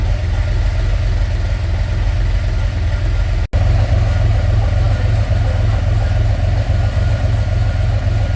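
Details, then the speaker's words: Narrow Gauge Bombardier engine after a new thermostat and gasket for running hot (an air lock in the heater hoses is suspected), held around 2000 rpm with the heat gauge where wanted: a steady, even low drone with no knocks or misses; normal running. "we're taking it up to 2,000 here"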